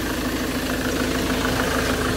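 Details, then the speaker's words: Ford Transit at idle after replacing the noisy crankshaft pulley: steady, even clatter with no odd knocks or squeals, engine quieter; normal idle after repair. "Ролик шкива поменяли, двигатель стал работать тише."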